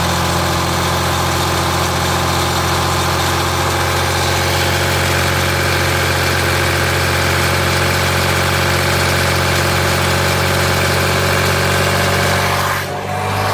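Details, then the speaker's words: 2007 Jeep Grand Cherokee 3.0 CRD diesel, idling about 5 minutes with the temperature gauge just rising. Oil pressure light comes on at idle but goes off when revved. Light, quick metallic rattle persists; timing or pump chain suspected, not confirmed. "Rattle is still there. Been idling now about 5 minutes, just starting the temperature gauge through."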